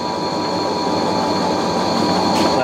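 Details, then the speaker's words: Fisher & Paykel washer spinning a heavy, off-balance load after repair of a squeaking suspension rod: steady motor hum with constant high whine, no rhythmic squeak; normal spin, fix appears successful. "well this is a pretty heavy load it's pretty off balance and i don't hear the suspension rod so that's a good sign that's a very good sign i think i might have fixed it"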